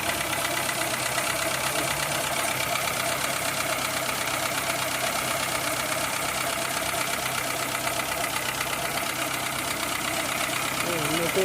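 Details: 2003 Citroën C3 petrol, bought four months ago, not overheating or using oil: a steady idle with a light, fast, even ticking riding over the engine that worries the owner. The cause is not confirmed.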